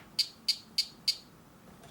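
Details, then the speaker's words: Vorwerk VK-140 Folletto vacuum's switched reluctance motor, driver board with damaged low/high side driver: four sharp high clicks, then faint ticks, no spin-up; motor tries but fails to start, motor spins freely by hand. "can you hear it it try to start but it doesn't start"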